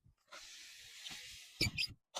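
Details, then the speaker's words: Car window glass squeaking on each open/close: a hissy, sharp scraping squeal for about a second as the glass travels, from dirty or aged, hardened frame rubber seal rubbing the glass; fix is rubber lubricant. "每一次开关玻璃啊，都会有这个滋比较尖锐的声音出来。那这东西的原因啊，第一个是当然是这个东西脏了啊，边缘比较脏。另外一个呢，车子老了，这个车窗边框上面的橡胶啊老化了，比较硬，和玻璃啊一摩擦，摩擦之后就会发出这种比较难听的尖锐的声音出来了。"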